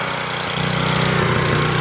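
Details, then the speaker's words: Portable gasoline generator with a Tecumseh engine and badly worn carburetor, before carburetor replacement: engine drones unevenly, speed sagging then picking up; the governor can't hold it. Output only about 115 V. "you here struggling it can't seem to govern itself because the carburetors in such bad shape and"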